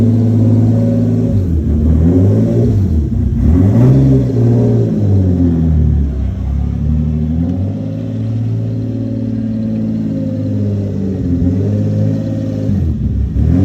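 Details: Lexus SC300, bought for $600, after resonator refitted with welded stainless pipe: engine pulls up and settles smoothly with deep loud exhaust drone, no knocks or misses; still loud but tamer, runs fine.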